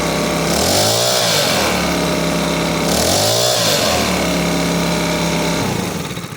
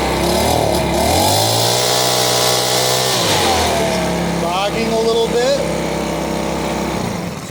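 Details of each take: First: Makita BHX2500CA four-stroke blower after an aftermarket carburetor and fuel line kit was installed. Its adjustment screw was turned counterclockwise until the sputtering stopped. It now revs up and drops back cleanly several times with no stumble or sputter, and the mixture looks right. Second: Makita BHX2500CA four-stroke blower after a new aftermarket carburetor and fuel line kit, started on full choke then run at full throttle: the pitch sags and wavers instead of climbing cleanly, a mild bog before adjusting the carb screw.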